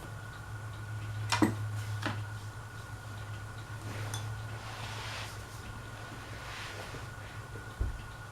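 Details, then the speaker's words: Dayton Leading Edge industrial ceiling fan on medium speed, after low failed to run: a low steady motor hum with a thin whine and a few scattered ticks as the fan starts off very slowly. The owner suspects the motor needs oiling. "Yeah, low doesn't work. See? Medium does, just starts off very slow."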